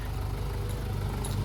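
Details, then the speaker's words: Honda Integra (DC2) junk part-out engine with a knock, warmed to operating temperature: steady low idle with an even, unbroken rumble and no knocks or ticks; running smooth at normal idle. "So we got it running. It's running smooth now. Let me just triple check. It's at operating temp. So coolant's good."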